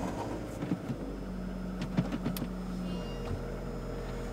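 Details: Ford Focus 1 with recently fitted 4th-generation LPG, idling right after spark plug replacement (had jerks and hesitation at low rpm on gas): steady, even idle with smooth low hum, no misses or stumbles; runs cleanly.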